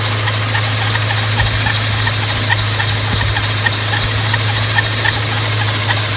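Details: Scion FR-S with a Kraftwerks supercharger: a steady high whine sits over a deep, constant drone while the engine runs; loud supercharger noise, cause unknown.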